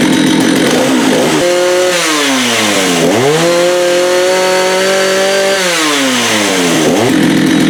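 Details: Vintage Jonsered 80 chainsaw after a carb kit and diaphragm change: revs cleanly from a rough idle to a high steady scream and drops back without stumbling; running properly.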